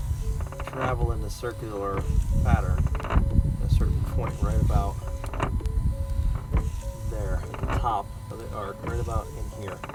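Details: 2017 Ford Transit 350 diesel dually, wiper motor running: squealing creaks repeat with each wiper sweep, about one per second, from four dry linkage ball joints, fixed by greasing them. Windshield wiper linkage creaking.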